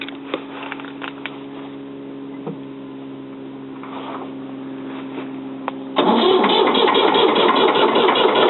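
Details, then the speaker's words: 1977 Ford 555 backhoe diesel, first start in over two years, started with starting fluid and jumped wire: several seconds of steady cranking, then it catches and settles into a loud, even clatter; normal start after long storage. "she's a runner let it warm up keep it nice and low"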